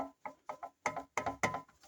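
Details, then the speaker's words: Silencer from a 1975 Triumph Trident T160, fairly new, shaken by hand off the bike: hollow metallic clunks in uneven bursts from the internal baffle broken loose inside the shell; loose silencer baffle rattle. "It's got a loose baffle. Hear that rattling? That's the baffle inside. This whole baffle has come loose,"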